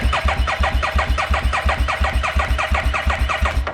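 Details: 2017 Harley-Davidson Street XG750 engine, liquid-cooled and fuel-injected, damaged in shipping and run on a test stand; spark present after the kill switch was energized. The starter cranks steadily at about three compressions a second but never fires, with no fuel delivered.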